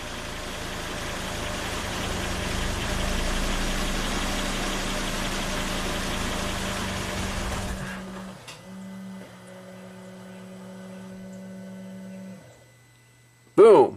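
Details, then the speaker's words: 2005 Volvo XC90 Turbo, 80k miles, at idle: engine runs evenly about eight seconds as fuel pressure falls from 58 to 13 PSI and pump current drops from 10 to 4 amps, then dies leaving dash chimes; stall from fuel pressure loss. "okay here we go it's dropping dropping dropping dropping dropping dropping dropping and just stall out pretty soon"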